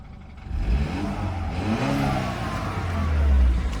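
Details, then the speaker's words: 2013 BMW 328xi four-cylinder at Copart, revs climb smoothly and settle back to a steady low drone, no knocks or rattles; inspector, unfamiliar with these engines, thinks it sounds normal. "yeah I mean I never owned these oh four cylinder engines but I heard from many people that this is how they sound so I think it's fine"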